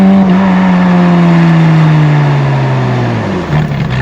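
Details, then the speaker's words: 1994 Euro-spec Ferrari F355 after repair with spark plug wires refitted, driven on road: smooth steady note easing down through the revs, earlier hesitation up to 1500-2000 rpm completely gone, no stumble or breakup; normal running. "Completely gone. It's running super smooth now. Very nice. Sounds much better."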